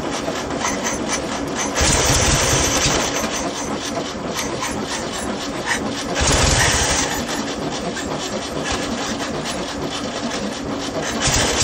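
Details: VW Beetle air-cooled flat-four, swapped into a junkyard VW motorcycle build, first run on a temporary gas tank and fuel line. It keeps a quick, somewhat uneven patter, running on its own without stalling. Normal running.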